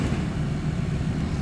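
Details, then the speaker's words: Honda Fit aftermarket blower motor, at speeds two, three and highest: steady low hum with rough rubbing drone, no pitch change; noisy blower motor itself. "oh this aftermarket blor motor just making a ton of a noise that's two three and the highest settings"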